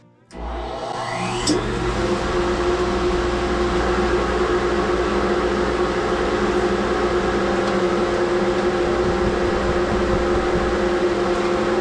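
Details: 2HP King Canada workshop dust collector after clearing a clogged inlet pipe, cleaning the trunk line and fitting a new one-micron filter bag: motor spins up within a second into a steady, even roar with a constant mid-pitched hum; runs normally.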